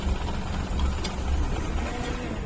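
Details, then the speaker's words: CNG car idling unevenly, lumpy with irregular dips; engine misfires and stalls, head opened showed all valves, guides and seats burnt, guides need replacing. "सभी बाल खराब है इसके देख लो guide भी cut गई है इसका सीट भी कट गया है ऐड में सब गाइड डालना पड़ेगा सब जल गए हैं सीएनजी"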